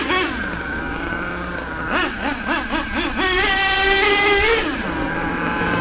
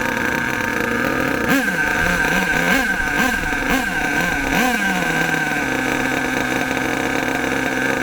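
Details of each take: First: HPI Savage nitro RC monster truck with LRP ZR32 engine, after tuning the high-speed needle: quick rising and falling revs, clean high pitch without sagging or cutting out; tune good. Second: HPI Savage nitro RC monster truck engine, warmed up, high-speed needle turned in too far: buzzy engine surges and sags through quick rev bursts then hangs unevenly; too lean, hesitating from lack of fuel.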